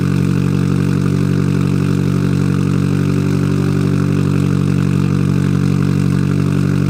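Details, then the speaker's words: Car raised in the air, cold start right after fitting an ISR Performance Series II EP single-tip exhaust: loud, deep, steady idle with no ticking or puffing; owner hopes the loudness is a cold-start thing; apparently no exhaust leaks. "I'm just hoping this is like a cold start thing and it all go down because this would mean that muffler actually did a lot"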